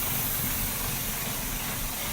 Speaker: I've given it a vacuum leak, so the idle is idling very rough.